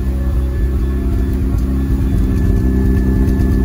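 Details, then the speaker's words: Mazda FD RX-7 rotary after fuel system work, fuel pressure regulator and gauge fitted: idle too high with uneven stumbling exhaust note and occasional small pops; owner confirms a stumble, cause still being researched. "it is idling this is too high for idle and you you can hear that it's still popping a bit"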